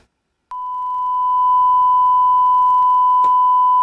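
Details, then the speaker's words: Panasonic NV-HD100 VCR, suspected of bad video heads, playing a test tape with a 1 kHz tone. Clean, steady tone with a few faint clicks, stereo hi-fi reading properly: normal hi-fi audio playback. "it's a little bit clicky which seems to be okay seems like the high-fi sound is working fine"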